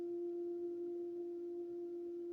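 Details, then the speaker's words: Loud steady hum inside the house whenever the outside garden tap is turned on: one pure pitch with fainter overtones and no rhythm. A resonating water pipe. "all i did was turn the water on and we have this sound coming in the house and it's very loud and the cats hear it from the other room"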